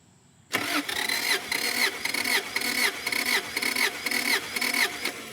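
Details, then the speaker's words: 1997 Subaru Outback EJ25D with cold misfire, years after head gasket reseal: starter cranking with compression tester in cylinder one, even beats reading 180–210 psi. "so we are now set on compression we got a compression tester in here"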